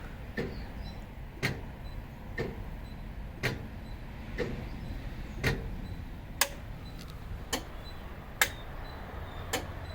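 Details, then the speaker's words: Infiniti G35 (Nissan) hidden auto diagnostic self-test cycling wipers, low and high beams: crisp relay clicks about once a second over a quiet fan whir; relays working normally. "Now it's the high beam. And you can hear this relay clicking."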